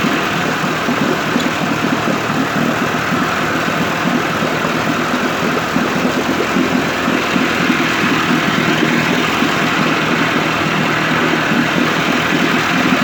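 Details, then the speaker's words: 1958 Evinrude 18HP Fastwin two-stroke outboard, rebuilt with replacement powerhead, new rings, bearings and NGK B6S plugs, smoking. Fast, even buzz holding steady, no misfires or surging: normal running. "By the way, if nothing else, these motors would make great mosquito killers with the oil and the smoke."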